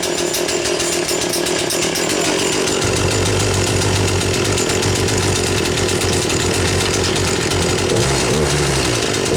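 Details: 2009 Wen 3814 chainsaw, a Homelite 25AV variant with little wear. Howls at a steady high pitch, then dips a touch and climbs again, with no misfire or sputter audible: running normally.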